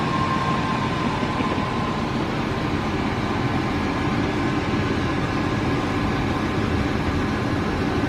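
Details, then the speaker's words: Old Chevy pickup that sat for at least 4 and up to 7 or 8 years: it fired up at once and settled into a steady, even low rumble with no knocks or stumbles; a healthy idle. "guys, I mean, as far as revival videos go, that one's kind of a bust because this thing fired up like it had just been shut off yesterday."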